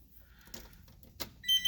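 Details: Key-on in the cab of a 20-year-old school bus (skoolie conversion) that just had a dead battery (13.3 V): three short high-pitched beeps in a quick even pattern, the dash low-air-pressure warning as the system builds air.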